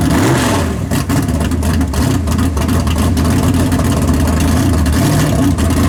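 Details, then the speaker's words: Big block drag car after a tunnel ram swap, timing locked at 32 degrees, fired up and transbraked: loud lumpy V8 idle with sharp blips and a hard rev, firing crisp and steady; runs well. "oh yeah yeah right all over it down man it sounds good though sounds way better"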